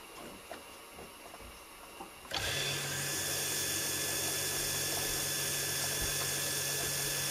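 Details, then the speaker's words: New 2021 Stuart Turner 2.0 bar Universal Monsoon single-head shower pump, running on the hot-water side with a full tank after factory leaks were fixed: a smooth, even hum with steady water hiss, no knocking or surging; normal running. "The hot water is running. Check for leaks, temperature, pressure."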